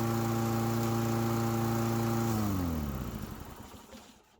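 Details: Toro Recycler push mower that ran only on starting fluid, after cleaning a clogged carburetor jet: steady even drone with no misses, winding down smoothly at shutoff; running properly.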